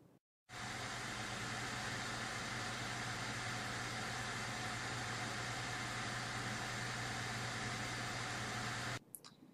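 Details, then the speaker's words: Reference AMD R9 290 graphics card under load in the Unigine Valley benchmark: steady, loud, airy blower-fan rush with a low hum underneath, even throughout; loud, hot card, but a normal blower under load. "this is what the reference 290 sounds like on load during the unigen valley benchmark"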